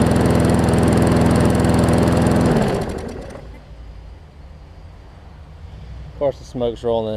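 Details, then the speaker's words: Newer Murray push mower after new carburetor diaphragms, fixing oil in gas and water in oil: engine runs steady and fires evenly but too slow, then fades down; owner needs to sort out the throttle/governor spring. "it's running fine it's just running slow i just need to figure out the throttle situation"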